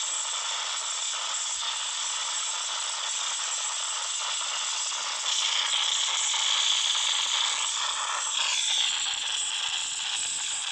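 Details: Samsung Note 9 phone speaker gives a thin, hissy rattling and crackling noise at random while playing audio; only a phone reboot stops it.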